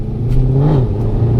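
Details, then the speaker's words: Mercedes W204 C63 AMG, M156 V8, driving on 87 octane after new spark plugs and filters: deep V8 rumble rising cleanly under throttle, no stutter or misfire popping; accelerates much more smoothly with more power. "oh wow, the car feels like it has so much more power. Like, it actually feels amazing. It accelerates so much more smoothly."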